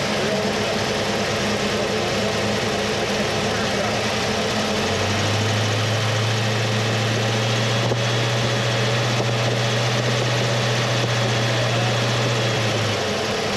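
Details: 1979 Mercury Capri with 351 Cleveland V8, distributor freed and retimed to about 10° initial (about 32° all in): steady idle with an even low rumble and no stumbles or knocks; runs smooth and settled.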